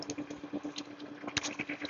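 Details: Jet pump 375 with pressure tank, tap adjusted until the ammeter holds steady at 19 without rising or falling: even motor hum, quick steady pulsing, no surging or rattle; balanced, normal running.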